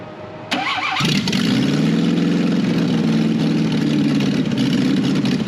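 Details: 1968 BMW 1800 barn find with freshly cleaned carburetor: catches after a short crank, runs rough and uneven with no steady idle, then dies; idle circuit suspected blocked, with a leak noted that shouldn't affect idle.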